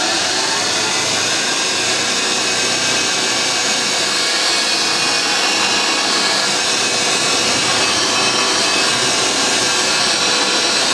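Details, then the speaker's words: Vintage Hoover 612 upright vacuum after refurbishment, picking up crushed Weetabix test dirt from carpet: steady, even rushing whir with a purr, no rattles, catches or pitch changes; running healthy. "I think these are slower running, hence why it's got a lovely purr to it."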